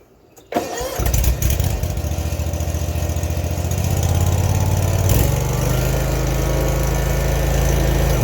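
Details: Zero turn mower, over 10 years old, first start after replacing the broken belt, guards off: cranks briefly, catches within a second and settles into a steady even idle with no knocking or slapping; belt drive normal.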